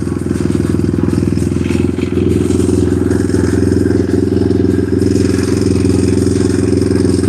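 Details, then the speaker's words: Single-cylinder pit bike running with a fast, uneven, slightly ragged putter and no clear knock while the idle knob is adjusted; rough running, owner suspects the carb is not tuned right. "yeah, I think there's probably some issue with the carb not being tuned right."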